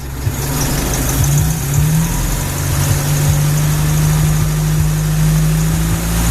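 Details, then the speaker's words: 1967 International Scout 800, warm start with choke in, out of gear, throttle blipped: steady low engine note climbs smoothly with each blip and settles back evenly; clean, responsive running with no knocks or misses. "So here she is running. I'll go ahead and grab the throttle here and give it a little bit of gas."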